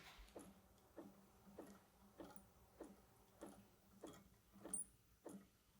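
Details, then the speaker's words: "Perpetual motion" swinging desk gadget: faint light tick-squeak once per swing, about every 0.6 seconds, in a quiet room, like a distant bird chirp; cause unclear. "it literally it sounds like just the the tiniest little bird chirping off in the distance and if you whenever you have this thing running is so obnoxious"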